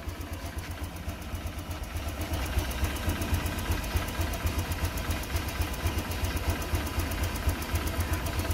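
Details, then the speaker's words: Honda Click 125 FI scooter that sputtered and stalled, idling after spark plug replacement and slight air screw adjustment: even single-cylinder putter at about four beats a second, holds steady without stumbling or dying; fixed, idling normally. "hindi na guys na huminto, namatay, so gusto sabihin talagang iiwan na natin to."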